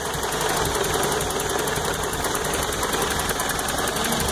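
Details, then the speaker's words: Toyota truck just after timing chain, oil pump and water pump replacement and exhaust work: uneven, labouring idle with irregular sputter, near stalling off throttle; owner suspects exhaust leak; steam from under the cap. "that sputter is pretty bad wondering if maybe an exhaust leak or something like that could possibly be the culprit"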